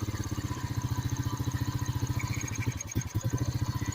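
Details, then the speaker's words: 2006 Honda Rancher ATV, after cleaning a clogged carburetor that made it die without choke: quick, even exhaust pulse holding a steady idle with the choke off, no stumbling; normal idle. "Seems to be running good. It does not want the choke."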